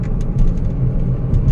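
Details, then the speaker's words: 2017 Hyundai Accent after misfire repair, road test while driving: steady low engine drone under road rumble with no stumbles or dropouts; misfire counts on all cylinders now zero, pulling normally and running smooth. "Okay na siya okay rin yung hatak niya eh Nag normal din yung hatak no o nag normal na e"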